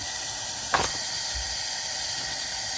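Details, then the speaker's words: Mazda Skyactiv engine after carbon cleaning went wrong and an object locked a cylinder, camshafts off, leak test: steady high hiss of air escaping through the second intake port, sprayed liquid bubbling; intake valve not sealing, suspected bent, not confirmed. "spray the liquid in there and it is bubbling. Obviously, very likely you can hear that on the video as well."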